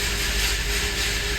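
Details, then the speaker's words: 2017 Honda CR-V 1.5L turbo that lost power and runs rough, at cold start: uneven, stumbling exhaust beat under a hiss, dead misfire on cylinder 1; the dealer diagnosed head gasket and turbo, and the startup misfires are possibly from the turbo. "it also has horrible misfires on Startup possible that's from the turbo I'm not sure but I just want to ch"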